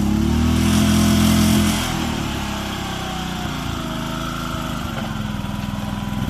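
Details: Old Japanese-import Komatsu PC01 (PT01-1a) mini excavator with a four-stroke petrol engine, 1,116 hours, in a systems test. Steady, even drone holding its note through the hydraulic movements, with no knocks or misses; normal running.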